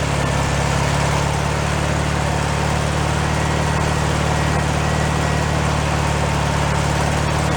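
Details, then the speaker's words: 1965 VW Beetle air-cooled engine, freshly rebuilt, first start and run-in on simple setup after fixing minor carburetor leaks: even, steady idle with constant low drone and regular beat; sounds pretty good, normal idle. "sounds pretty good"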